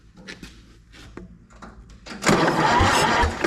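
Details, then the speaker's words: Recently purchased auction Massey Harris 30 tractor: slow, uneven cranking about three strokes a second, then a louder churning spin. Cylinders 2 and 3 were dead; their valves were tapped free through the spark plug hole, but they stuck again on cranking. "Yep, they're stuck again."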